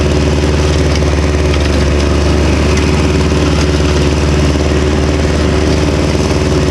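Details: Victa Super 24 / Super 600 70-series two-stroke mower, still cold, after about 8 years idle, after its carburettor was split and cleaned and given new fuel: loud, steady, even buzz at constant speed with no stumbles; running cleanly.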